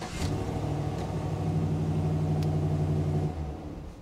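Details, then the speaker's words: 2018 Chevrolet Silverado 2500 6.0L with multiple module failures, just after key programming: the engine starts and runs a smooth idle for about three seconds, then shuts off abruptly with the theft light on, an immobilizer lockout. "so it starts and runs and it shuts off and our theft lot stays on"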